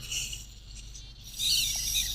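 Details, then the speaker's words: DJI Phantom 2 Vision camera gimbal powered on and moving the camera: thin, high-pitched steady electronic whine from the gimbal servo, possibly from its high frequency; normal on a Phantom. "I think it's because of the high frequency the servo is checked. It's making the noise, but wow. It is normal."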